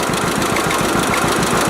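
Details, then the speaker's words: 1946 John Deere AR two-cylinder after a carburetor adjustment reduced popping: steady lumpy idle with an occasional sharp extra knock. Owner wonders about a valve out of adjustment. Intermittent knock, cause unclear. "still hear the odd time so i don't know if it's a valve out of adjustment or what but we'll figure it out eventually"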